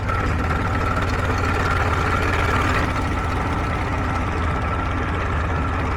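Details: Warm 1947 Farmall H tractor idling on a temporary fuel can with the tank off, after a new generator belt, radiator hoses and a 12-volt alternator conversion: slow, steady low idle with an even beat, no knocks, misses or rattles; oil pressure good, healthy.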